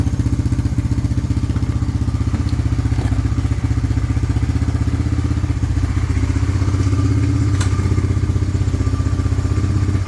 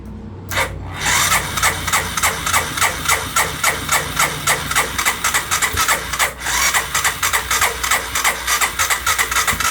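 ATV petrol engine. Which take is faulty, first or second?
second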